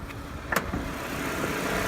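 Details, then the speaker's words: Daewoo Lanos 1.6 16v, about 93-100k km, at idle with heater, fan and loads switched off: soft, steady idle, faint low hum, no whistling or chirping; whistle from timing belt/rollers appears only under load. "сейчас все тихо. В принципе, адекватно, да?"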